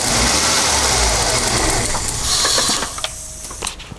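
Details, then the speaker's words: Ford EF Falcon that dies at idle: engine idles roughly, stumbles and stalls within about three seconds, leaving clicks; disconnecting vacuum lines made no difference, solenoid works, thought to be air-related, not vacuum; cause unknown. "I don't think it's anything vacuum related I think it's more air boy especially why it stumbled"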